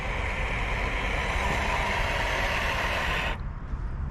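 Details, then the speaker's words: Pro Boat Miss Geico 36 RC boat with speed props, at full throttle; uneven buzzing drive with rough irregular pulse about three per second, then drops away as the left prop comes off a wrong-rotation prop shaft. "I think I might have got something stuck in the rudder yeah something's in that rotor guys they bring it into me real slow oh something does not sound right"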